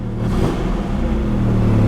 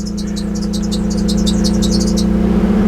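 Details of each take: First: 1984 Datsun 300ZX Turbo with 243,000 miles, bought at auction; a short throttle blip gives a rough low rumble with no turbo whistle or spool as revs climb. Turbo is definitely blown. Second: 1984 Datsun 300ZX Turbo (one blown turbo, oily exhaust leak) started on a substitute battery after many attempts: settles into a steady, even idle with smooth low hum, no knocks or misses; oil pressure high.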